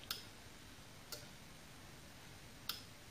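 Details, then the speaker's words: 1972 Ford Cortina Mk3 GXL 2.0 auto, bench test of wiper delay module: adjuster changes delay, turned up to faster, final resistors not yet fitted; sharp single relay clicks about one to one and a half seconds apart; normal operation. "adjust in this now increases or decreases the delay as I've pointed out though with the dock on the right resistors set on this just yet so it would be a bigger range than what I've gone you can see it's faster now"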